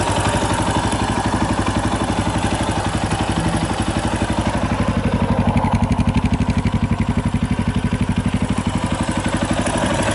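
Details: 2018 Yamaha Tricker XG250 single at idle with a regular metallic clatter about four times a second; slack cam chain from a loose cam chain tensioner, tensioner being adjusted (stock tensioner is automatic).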